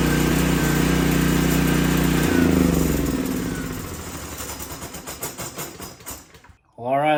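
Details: Old 5500 W gas generator (one of a McCulloch, Briggs & Stratton and Troy-Bilt set) after oil change; steady even low drone with firm regular pulse, then winds down and stops; runs fine.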